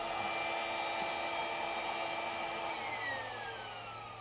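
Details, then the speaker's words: 2003 Chrysler Crossfire, 3.2 petrol V6 (Mercedes engine), codes P0106, P0410, P0151; secondary air pump actuation test; steady high whir winding down smoothly when switched off; pump works, ducting or switch-over valve still suspect. "so that proves that pump's working the concern would be the end the earth the abducting of the thing is where the ears blasted into or the actual switch over valve but at least the pump's working"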